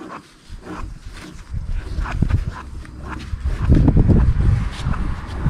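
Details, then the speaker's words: 2009 Subaru Outback right rear wheel bearing hub, removed and spun by hand: deep, uneven surging growl, bearing has some play and feels rough; believed source of the rear noise, hubs replaced. "I can feel how rough the bearing is but listen to this we can easily hear it"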